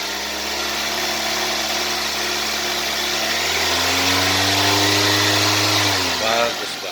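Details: Used Toyota Avanza, throttle blipped from the engine bay: smooth, full-bodied rise in revs held steady then dropping back cleanly, no knocks or misses; normal revving, engine healthy.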